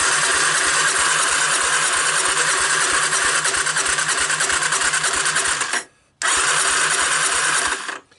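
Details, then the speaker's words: 1985 Honda ATC250ES Big Red, abandoned 20 years with a stuck valve, carburetor off, compression tester fitted, cranking on the starter: steady beats about three per second with a breathy puff each stroke; intake valve not sealing. "let me give you a hint it should be not puffing out the intake valve like that that steam coming out that is not a good sign"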